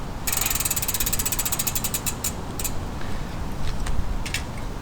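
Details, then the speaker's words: Pashley Princess bicycle with Sturmey-Archer AW 3-speed rear hub after a complete overhaul and cleaning: fast, even freewheel ticking slowing as the wheel coasts down, with a faint rub from a slightly bent mudguard. Healthy freewheel. "listen to this. Does that not sound like a bike? One operating well."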